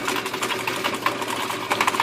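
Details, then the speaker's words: IBM Wheelwriter 5 typewriter: carriage whirs and daisy wheel clicks round but no print strike snap; impact plunger/print hammer not firing, to be removed and fixed. "Moves, daisy wheel spins, but there's no strike. Nope, no strike."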